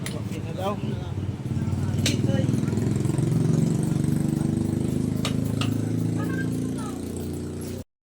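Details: Rider/Raider Fi motorcycle after clutch housing repair for rattling noise: steady, even single-cylinder idle with soft regular beat and no clutch-side rattle; normal idle.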